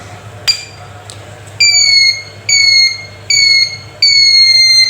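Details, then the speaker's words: Handheld metal detector in vibration mode: clean, evenly spaced high-pitched beeps, about four, with the vibrator heard while detecting metal; working normally and ready to use. "Vibrator की आवाज़ शायद आप सुन रहे हो, detection कर रहा है और वाइब्रेट भी कर रहा है।"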